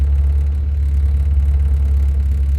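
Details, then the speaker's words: Car just dug out after winter snow, at warm idle with oil pressure holding over 50 psi and water temperature not yet risen: smooth, low, even hum with no ticks, knocks or surging; healthy engine. "we're just sitting here at a nice idle. Oil pressure is still holding over 50 pounds."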